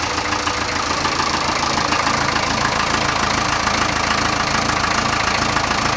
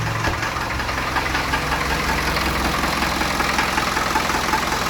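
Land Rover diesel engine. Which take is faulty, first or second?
second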